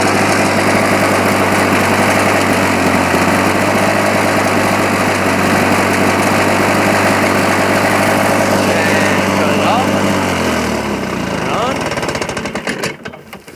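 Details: 1980 Lawn Boy model 8237 two-stroke push mower (not self-propelled, hard primer bulb but otherwise works): steady even putter at fast idle, smooth firing, no misses, then winds down when switched off; runs normally.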